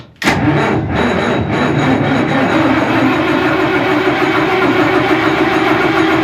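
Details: 60-year-old wash plant diesel engine fed from an old tank with a small can of diesel: continuous even starter churn that never catches; no oil pressure, priming pump seems to have no vacuum, suspected broken; won't fire.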